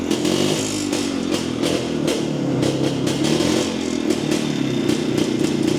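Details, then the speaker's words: Jawa 250 two-stroke after engine opened for smoking following a dyno run: ringing, burbling note with uneven, stuttering beats; owner agrees carburetor seems out of tune, hesitating on throttle; not confirmed. "Usampikin kommentoi, että ei kuulosta olevan säädössä ja itsekin oon kyllä samaa mieltä, että se vähän oli semmonen se kaassuk painot ja tolla, niin se ei lähtenyt sille niinun saman tien vaan se vähän niinku epäröi aina"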